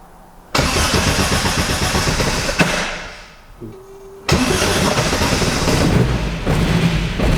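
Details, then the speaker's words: Mk1 Austin Mini with an Arden 8-port head, cold start on a hot day while refining the cold-start fuel map: it catches and runs briefly, then stumbles out. It won't run without throttle, so the map needs tweaks. "okay so that went where you didn't want to run just on the throttle anyway so I'll do some tweaks and we'll try again"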